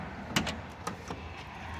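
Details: Chevy G20 van door shaken while shut gives sharp metallic clunks: loose latch striker pin missing its plastic bushing; fix by wrapping electrical tape and snapping slit half-inch plastic tubing over the pin.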